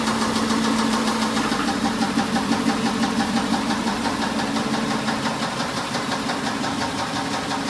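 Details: Mercedes S500 W140: steady idle with a sharp, even tapping over the engine at roughly three per second; engine knock of unknown origin.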